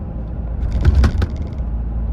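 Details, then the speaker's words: 2025 Toyota Tacoma TRD Sport (4th gen), in-cab crossing a railroad track; low rolling rumble then a brief cluster of sharp plastic clacks from the owner-installed shelf behind the radio, cab otherwise relatively quiet: interior plastic rattle. "And that sound that you heard right there, again, was that shelf that I have behind the radio."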